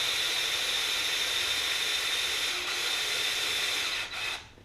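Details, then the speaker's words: 1966 Ford Galaxie 500 during restoration, oil pump primed with a drill through the distributor drive to fill the filter: steady high-pitched drill whine for about four seconds, resistance rising as oil pressure builds, then it winds down and stops. Normal priming. "I'm going to run the oil pump with this and I have the drill set in the direction the drill the distributor rotates the oil palm oil pump to fill the filter and then I'll check for pressure"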